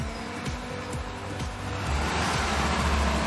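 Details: Kawasaki Z250 after engine reassembly, cam chain replacement, tune-up and a throttle-body vacuum check: even, steady idle with a regular low beat, no ticking or chain rattle. The engine sounds perfect.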